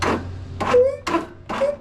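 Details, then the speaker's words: Husqvarna YTH22V46 riding mower with new solenoid and fresh battery, starter previously replaced: three short heavy clunks about half a second apart as the starter engages and stops dead without turning the engine over; cause suspected, not confirmed. "the only problem is I got to fire it up the next time got to fire it up the next time and all it gets is"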